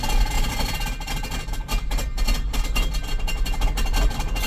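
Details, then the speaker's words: 2018 Ford Explorer 4WD, 51,000 miles, shifted into drive: heavy irregular clunks and rattling thuds; reverse works with some jumping, forward is bad; engine fine, transmission faulty. "terrible all right so the motor is good you got transmission problems"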